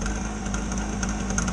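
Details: Small two-stroke generator, sat unused in a shed for years and never run before: a steady, buzzy drone with an even low hum and no misses or knocks; running normally.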